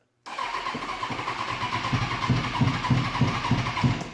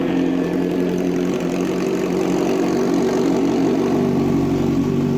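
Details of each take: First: 2005 Kawasaki Ninja 636 sportbike, sat in a shed for years, first start attempt after fuel pump priming: starter whirs with uneven firing pulses, engine almost catching but not running; owner says it wants more priming. Crank no start. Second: 2005 Kawasaki Ninja 636, sat in a shed for years, fresh start after fuel pump priming: engine catches and holds a steady mid-pitched buzz with slight speed wander, not yet warmed up. Normal running.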